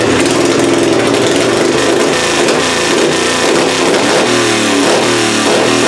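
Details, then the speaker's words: Pulling engine "Plan B" running methanol, first fire-up after annealed head gasket install and timing adjustment: loud steady note swelling and easing with throttle, no misses or knocks; timing good, head gasket seems sealed, carburetor still needs tweaking. "y'all that's gonna do it for this video we got Plan B fired up sounds pretty good head gasket seems like it's all still sealed up uh timing sounds good now that I adjusted it"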